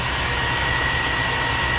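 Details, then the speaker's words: 2002 Chevy Tahoe 5.3L V8, cold start the day after a new intake gasket fixed its rough or no idle when cold: a steady, even idle with no stumble or surge, only a faint constant high whine; it runs great. "engine's cold haven't started it since yesterday and here's what you get and there's the chains oil so i think thing runs great"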